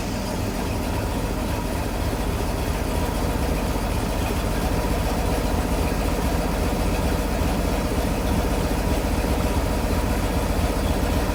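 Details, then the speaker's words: Sea Ray Pachanga 32 OMC 460 V8 after a tune-up with Champion plugs gapped at 0.035 in and the carb dialed in; exhaust hoses are temporarily clamped. Smooth, even burble with no misfires or hunting; the idle is set slightly high. "I think I have the idle maybe set a little too high, but it's not bad."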